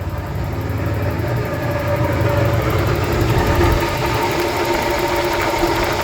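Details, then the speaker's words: 1988 Ford Bronco II after brake booster replacement, idling, recorded close to the front pulleys: thin constant squeal over the engine note, first thought a bad bearing, traced to the alternator belt slipping; owner plans to tighten the belt. "The squeaking is coming from the alternator. It's the belt slipping on it."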